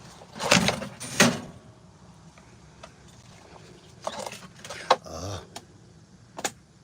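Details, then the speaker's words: Poorly maintained gas chainsaw that ran earlier: several quick pull-cord rips and brief sputters, never keeps running; hard starting, owner suspects flooding, spark plug reported fine. "That mug don't want to do nothing for me. I might have flooded it. I might have flooded it."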